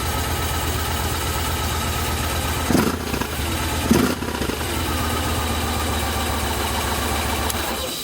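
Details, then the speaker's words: 2007 Yamaha Roadliner V-twin after cracked fuel pump housing repair: brief crank, starts cleanly and settles into a steady, even idle with no stumbling; normal start and idle. "Well, here's the 2007 Roadliner. Fire it up. With the fixed fuel pump. There she goes."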